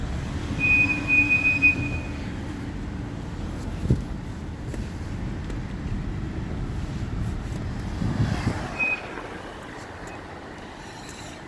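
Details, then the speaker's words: 2015 Hyundai Genesis Coupe GT in first gear at crawling speed leaving a parking garage: thin high-pitched squeal over low engine rumble as brakes apply, consistent every drive; front and rear brakes looked seized. "now this will continue when I exit the building so listen for the squeak"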